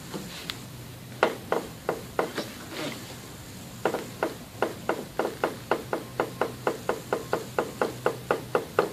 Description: The new KYB Strut assemblies I installed in my '04 Caddy Deville click with the slightest compression.